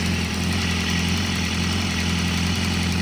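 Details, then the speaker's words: 2014 BMW S1000RR salvage bike, inline-four, test run with no coolant: steady idle with a faint puffing tick. Small exhaust leak at the tweaked front right header. "But that exhaust pipe is washing it. A little bit of an exhaust leak."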